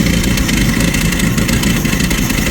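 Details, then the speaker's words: 1990 Jeep YJ 4.2L 5-speed, after a new fuel pump and cleaning five spark plugs: runs loud and uneven with a lumpy, stumbling beat instead of a smooth idle; owner suspects fouled plugs, and the new pump is leaking; rough running. "going to say that's probably just fou plugs and whatnot Maybe yep I don't know seems like it's still not wanting to run very good"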